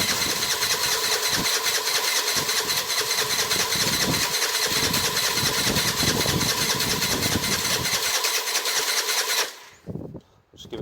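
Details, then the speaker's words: 2007 Piaggio MP3 scooter that ran when dropped off and no longer starts: steady starter cranking with a bit of throttle, no firing, then stops; fuel confirmed reaching the engine, spark plug to be checked next; cranks but no start. "bit of throttle while we're that doesn't sound like anything's going to fire there"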